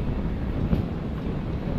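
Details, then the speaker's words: Yamaha Aerox 155 scooter after replacing the faulty cam chain tensioner that failed the night before: a smooth, low, even idle with no top-end ticking or rattle. The tensioner noise is gone and it idles normally. "Wow! Nawala ng ingay. Ito lang yung sira natin, no? Tensioner kagabi sa San Ildefonso, Bulacan."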